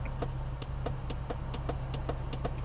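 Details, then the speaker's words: 2014 Volvo XC60 driver's window with fault code B118E00: repeated sharp clicks about four per second from inside the door when the switch is pressed, no motor whir; window stays fully open, failed door module. "When you put it down, you can hear the click inside the door, but obviously the window is already fully open, but it doesn't come up."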